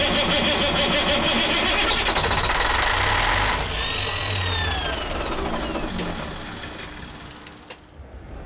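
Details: 1987 Kenworth K100 cabover with CAT 3406B diesel, sitting in a barn about 25 years, key circuit hot-wired: steady starter churn about four turns a second, never catches, winds down; cranks but won't fire, cause not confirmed.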